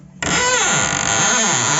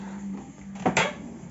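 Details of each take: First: Squeaking dishwasher door on opening: long wavering squeal rising and falling as the door swings, from the dry hinge mechanism; access cover removed to lubricate it, and the squeak is gone after greasing. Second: Dishwasher door hinge after removing the cover and lubricating the squeaking hinge mechanism: two soft clunks as the door moves, with no squeal or creak left.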